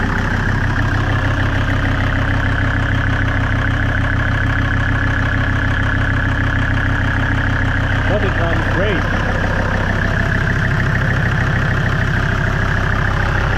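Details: Mercedes S124 Superturbodiesel after an engine swap, warmed up, handbrake on and out of gear, slightly low on oil: steady, even diesel clatter with no misses, knocks or hunting; a healthy idle, with black (not blue) smoke.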